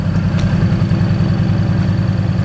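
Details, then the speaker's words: Infiniti G35 on first start after a test pipe install, recorded at the rear; louder, deep even idle rumble with a rapid puff at each firing from an exhaust leak. Owner suspects the flex joint. "definitely louder back here but it's not ignorant i'll give it a couple reps that exhaust leak is still there"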